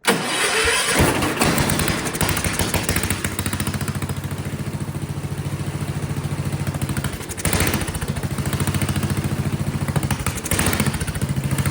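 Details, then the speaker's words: Vintage Kohler motorhome generator, flathead engine (guessed 400–500 cc), gravity-fed carburetor, after reattaching a condenser that was popping off: catches then runs rough with loping irregular beat about twice a second, seeming to want choke; owner suspects condenser and low fuel pressure. "The capacitor, the thing was popping off. So that's probably causing an issue."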